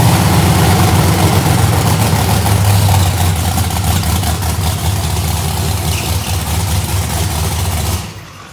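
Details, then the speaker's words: Procharged 2000hp drag-race Mustang, first start after freshened heads, primed with brake clean: loud harsh starter whir while cranking, then engine catches into heavy deep rumble that cuts off; starter noise considered normal. "It's okay, it's just a starter. I told you don't worry about that noise. Crank it back up. It should crank fine."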